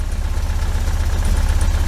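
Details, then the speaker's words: 1973 VW Super Beetle, 1745cc flat-four on dual Dellorto FRD 34B carbs with balance tube: lumpy low throb with hiccups while running on only two cylinders. "this is what happens when you uh when you run it you crank it up and then with two cylinders I've got a little bit of a hit a little bit of a hiccup when he did that"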